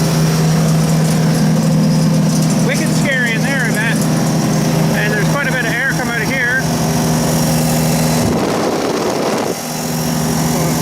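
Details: Wood chipper engine after servicing, held at rated RPM: even steady drone at constant speed, no knocks or misses; healthy, large flywheel coasts long after shutdown.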